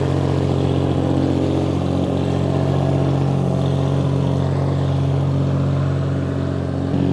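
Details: Restored 1935 Stancraft inboard, the oldest known surviving Stancraft, holding a high idle of about 2,000 rpm; steady, even burble with no misses or knocks, smooth. Normal high idle.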